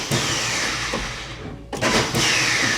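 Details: 1994 Opel Corsa B GSi, started with jump starter battery booster after standing: starter whirs freely at high speed with no cranking thump or compression rhythm; pinion not engaging flywheel.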